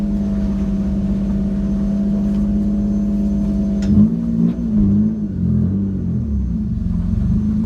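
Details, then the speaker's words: Car on a base map after changing the firing order, road test with phone vibrating in car: steady high drone under load that won't climb past 5000 rpm, then breaks up and drops off; owner consulted Len, cause unconfirmed. "i couldn't i still couldn't read it past 5000 rpm so i started talking to len kcu"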